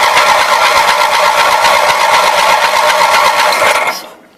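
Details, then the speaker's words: Roper Rally lawn mower with 18 HP twin Briggs engine, bought as non-starter: starter spins the engine evenly for about four seconds with no firing; cranks but will not start, no spark at either spark plug. "there is absolutely no sport coming out of that plug so out of curiosity let's see what happens with the other plug"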